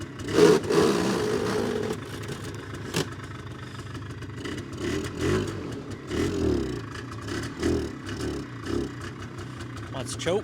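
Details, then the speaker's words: 2001 Polaris Xplorer 250 4x4 quad while riding: uneven revving with loose clattering and grinding rising and falling with throttle; owner suspects clutch or transmission; finding: noise from broken transmission case. "she does something is noisy in that clutch or transmission or something uh-oh oh man that doesn't sound good"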